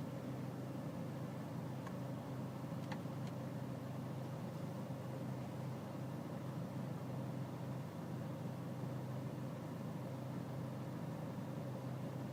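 Diesel idling with a low, steady clatter and slight unevenness in the beat; the idle sounds rough, cause not yet clear.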